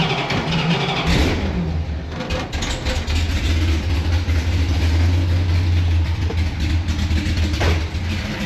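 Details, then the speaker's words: 1970 Dodge Super Bee with Gen 3 Hemi and Holley Terminator X EFI at low idle, at 58 psi fuel pressure; idle rises when starting fluid is sprayed, revealing an intake vacuum leak under the driver's side. "There's for sure a vacuum leak underneath this driver's side."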